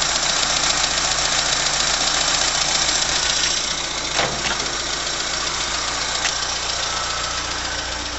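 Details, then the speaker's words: 1980 Leyland Mini started after about three months sitting, water topped up, water pump dripping: warmed-up, settled even idle with light mechanical chatter, no stumbling; quiet and healthy. "okay that's no Troke now and this is when she's really quiet"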